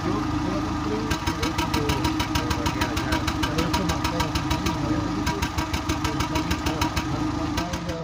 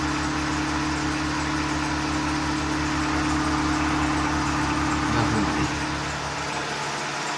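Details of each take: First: Seat Ibiza 6L 1.4 petrol idling with engine light on: a lumpy, uneven beat with sharp exhaust puffs as it runs on three cylinders; a misfire later traced to a cylinder 4 combustion fault code, with coil and plugs to be checked. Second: Seat Ibiza 6L 1.4 petrol, previously misfiring on cylinder four with engine light on, now idling steadily and round with no backfires; auxiliary belt audible.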